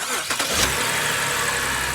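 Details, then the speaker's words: 2010 BMW X5, towed in from another shop with a no-start, after repair: revved, then restarted; starter whirs briefly, engine catches at once and settles into a steady, even idle; clean, healthy start. "Rev it up before uh before Nice. It sounds good. It sounds good. Start it."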